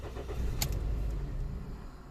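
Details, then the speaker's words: Toyota Yaris 1.3 with code P1310 after immobilizer repair: brief crank, catches with a short rumble, then dies within about two seconds; starts then stalls, caused by a cut igniter wire at the ECU plug. "it starts but it shuts down pretty much freeway"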